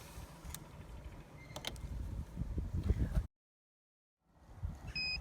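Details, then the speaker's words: 70mai PS01 jump starter connected to a car battery: handling noise then a short high-pitched beep, the unit prompting for the boost button to be pressed. "okay so now that we have it connected if you can hear the beeps in the video that's it trying to tell you that you need to push the boost button to give it a bit more"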